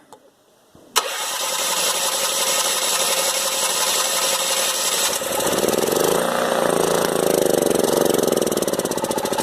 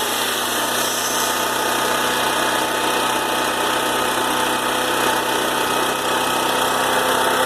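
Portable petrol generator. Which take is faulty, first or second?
first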